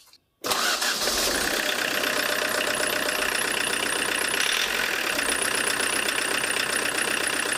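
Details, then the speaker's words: Diesel with Lucas DPC injection pump, timing set over a millimetre too far advanced: starts and settles into a harsh, hard-edged clatter, tractor-like; smoke still acceptable. Diesel knock from over-advanced injection timing; optimum is minimal smoke without harsh running. "Стал еще жестче работать. Но по дыму вроде еще ничего. Можно еще на меньше делать. На раннее зажигание."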